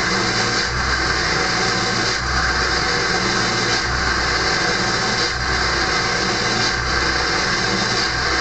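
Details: Early 1999 Ford F-250 diesel cold started at 34 °F, fast high idle with exhaust back pressure valve closed: steady clatter with a loud, constant high whistle on top; normal cold high idle.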